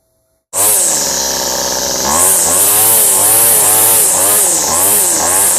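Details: A weed eater two-stroke engine, run after its fuel lines were replaced, catches sharply. It then runs with a high buzzing note that swells and dips in even revs, running properly again.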